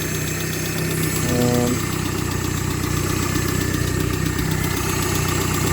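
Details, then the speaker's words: 1995 Suzuki Sierra/Samurai with a G13B GTi engine conversion at idle: an even idle with a light, fast tick about four a second over the hum; owner suspects the lifters and hopes an oil additive will quiet it. "have been a bit ticky. You can hear it, so hopefully that goes away once this additive runs through it."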